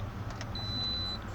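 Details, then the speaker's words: 2006 Toyota RAV4 4-cylinder with crank-no-start complaint, key-on after fuel supply repair: brief steady high whine for about half a second over a low hum as the fuel pump primes normally; expected to start now. "Okay, I just heard the fuel pump prime, so I'm certain that this car is gonna start."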